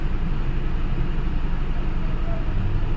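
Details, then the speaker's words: Honda Civic petrol idling with deep, uneven rumble, lumpy beat about four pulses a second, heavy whole-car vibration and check engine light; one-cylinder misfire, codes P0352/P0135, pickup drop and stalling over speed breakers. "ज्यादा vibration है पूरा गाड़ी हिल रहा है और चिक engine light भी आ रहा है साथ में"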